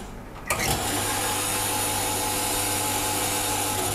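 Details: Espresso coffee machine being flushed: a steady buzzing hum with a thin rattly edge, as a loose cover vibrates against the body, like friction underneath.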